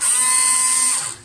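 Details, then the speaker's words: Windshield washer pump starting when the wiper stalk is pulled back, giving three wiper sweeps: high, steady electric whine for about a second, then cuts off cleanly; normal washer pump operation. "if we pull the little hand backwards, it makes three sweeps in the windshield wiper the raque ta and we can see that or hear that the pump starts up"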